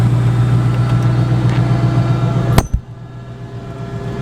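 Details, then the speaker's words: Single-turbo 5.4 with head work by Modular Head Shop: an even, steady low burble at idle with no misses or knocks, then a clack as it shuts off. Tame-sounding but said to be very fast; a normal, smooth idle. "it's pretty tame does it sound like anything crazy but it's very fast and it's very unassuming based off just how smooth it idles"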